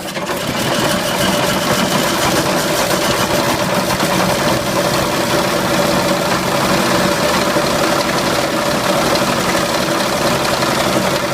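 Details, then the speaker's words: Original six-cylinder engine of a 1929 Chevrolet sedan running with constant heavy clatter and knocking, on the last run it made before failing; owners suspect rod knock from worn bearings, not confirmed. "dá para ouvir que ele tá batendo bastante né A princípio a gente acha que ele tá batendo a famosa batida de biela né"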